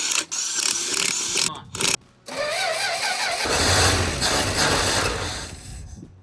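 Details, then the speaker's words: 1965 Dodge D100 truck, sat about 30 years, first revival run: engine catches and runs unevenly, surging and stumbling with no steady beat; running rough, cause not yet clear. "why that sound so poopy"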